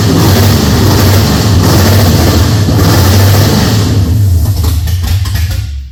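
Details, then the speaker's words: Holden HZ with LS V8 swap, first start-up: runs rough and lumpy, stumbling as it revs and settles; one cylinder definitely not working, misfire, cause not confirmed. "this one is only sitting on it's not sping is it 33 one's definitely not working 33 that one there mate so that's that one there definitely not working"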